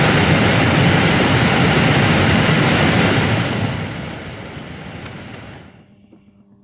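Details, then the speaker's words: 2011 Mini Cooper blower motor after freeing the seized bearing with Break Free penetrant, bench-run: strong steady whoosh at max speed, smooth coast-down after switch-off, no grinding or squeal; blower working normally. "there you go guys it is officially working and I could crank it all the way up you're turning all the way off kick it back on low and it's spinning put it all the way maxima and"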